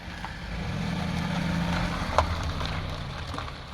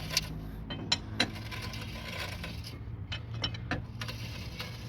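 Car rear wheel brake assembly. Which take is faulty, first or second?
second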